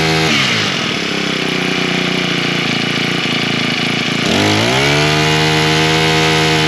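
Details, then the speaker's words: Husqvarna straight-shaft two-stroke string trimmer, primed, choked, then half choke with throttle: steady buzz, a brief dip, then a clean, even high-pitched run with no misfire. It runs fine; the owner suspects bad gasoline with trash and perhaps a little water. "Well, seems to run just perfectly fine. I'm still saying that the gasoline is probably what the problem is."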